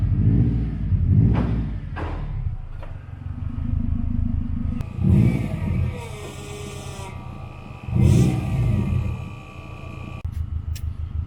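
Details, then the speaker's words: Built Subaru Impreza GC8 RSTI boxer on its first drive after the build, temperatures slightly high after sitting, power steering pump dead: deep even rumble rising cleanly with each blip and settling to steady idle; engine sounds healthy. "now the engine sounds pretty good"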